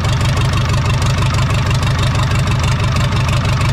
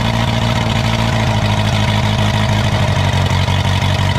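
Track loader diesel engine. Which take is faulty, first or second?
second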